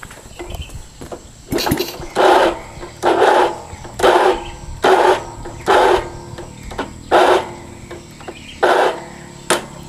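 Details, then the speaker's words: Motorcycle starter still slipping even after the one-way clutch was replaced: about one burst a second of high whirring that never catches the engine. "ini masih ada ngeloss ngeloss Grey kayak gitu"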